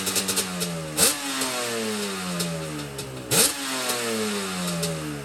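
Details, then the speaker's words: Yamaha Banshee two-stroke after carb clean, rebuild and sync, idle screws turned down, air screw 1 turn out: crisp revs climbing and falling cleanly with no stumble or bog; normal revving. "Oh yeah, she sounds great."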